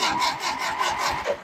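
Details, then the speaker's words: Antique Ferguson TO-20 tractor, cranked after choking with the throttle held low: labored cranking at about four turns a second that slows and fades without firing. The battery is dead again and needs charging. "battery's done again well I'll charge it again and try it"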